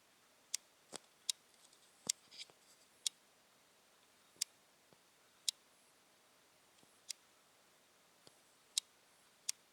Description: The clicking issue from the new sony nex-5n